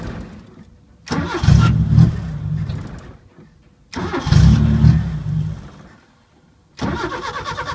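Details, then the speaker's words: 1980 Chevy Luv, carbureted engine barely run in years, after sight-glass leak fix: flares a second or two, fades, restarts and dies again; won't idle. Owner suspects electronic carburetor parts not working; cause not confirmed. "could still be some electronic parts of the carburetor that aren't working it's almost idling"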